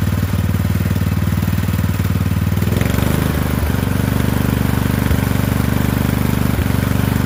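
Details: Poulan 12538 riding mower, 12.5 hp single-cylinder, with new carburetor, started with brake on: fires with an even thudding beat, about 160 a minute, and settles smoothly without stumbling; normal running.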